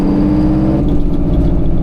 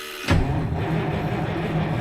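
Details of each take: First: 1973 Freightliner cabover with straight-piped Detroit 8V71 two-stroke diesel, freshly rebuilt blower reinstalled, on road test: deep drone turns into hard, rapid, evenly pulsed staccato bark as the Jake engine brake bites; engine brake working normally. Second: 1973 Freightliner cabover with Detroit 8V71 two-stroke diesel after blower reinstalled, fuel drained: steady even cranking churn about eight seconds, never fires; long crank no-start from fuel starvation.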